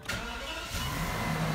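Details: 2004 BMW E66 760Li V12, 59K miles, after replacing the module: brief crank, then the engine catches almost instantly and settles into a steady idle; quick healthy start, cured long-cranking issue.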